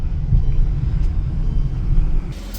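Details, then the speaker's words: Mercedes E63 AMG M156 V8 that had lifter tick after sitting for months: after driving it warm with some RPM, it gives a deep, even idle rumble with no top-end ticking, smooth as a sewing machine. "Yeah, me either. Thing sounds like a sewing machine now."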